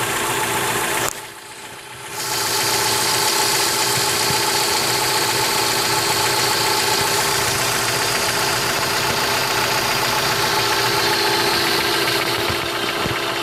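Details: 2003 Mitsubishi Lancer, stock, 162k miles, fresh oil change and full, evap leak code P0456: light, fast, even ticking following engine speed at idle; valvetrain or lifter tick suspected, unconfirmed.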